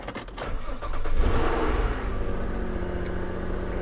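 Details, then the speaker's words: Copart salvage car with front damage, a broken headlight bracket and no working odometer, cranking briefly and catching cleanly into a steady, even idle with no knocks or stumbles. It runs very well, with no check engine light. "it runs and actually runs very well no check engine light"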